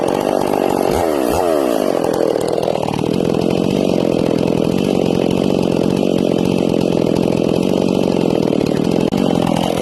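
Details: Ported Stihl MS461 in break-in with a rich carb tune and an RPM-limited coil: the saw revs high, then bogs into a steady, slightly burbly note in the cut as the bar is eased up to check for four-stroking.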